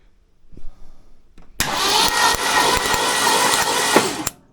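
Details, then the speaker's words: Old Ford F100 bumpside engine on its first fire attempt, cranked without the switch because it failed, with a spark plug out for testing: steady starter cranking for about three seconds with faint snapping ticks; spark is present. "Let's see. I don't know. I heard it. Yep, it looks like it's sparking. I don't know, I can't see it, but I can hear it."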